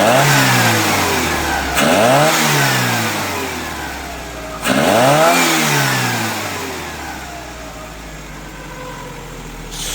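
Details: GTI engine swapped into a 1974 VW Passat B1 after ignition timing was set: two clean throttle blips, revs rising and falling smoothly back to steady idle with no misses or knocks; healthy engine.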